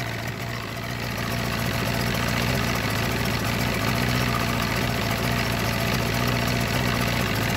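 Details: Force 120 (Mercury) 1999 two-stroke outboard off a Bayliner, warmed up, silencers removed: steady, even idle with a low, smooth beat, no knocks or misses; running cleanly.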